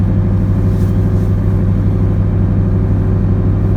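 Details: 2003 Ford Crown Victoria, 233,000 miles, in freezing cold weather: low even rumble, steady beat, no stumbling until shut off; engine idles smoothly.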